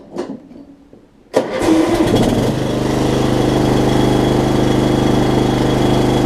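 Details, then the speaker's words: Riding mower with variable-speed transmission, new carburetor's low-side jet drilled to 0.010 in after it ran too lean: brief crank, catches cleanly within a second, steady even idle with no misses; healthy start and idle. "It runs beautifully though. I mean, I can crank it up for y'all for just a second."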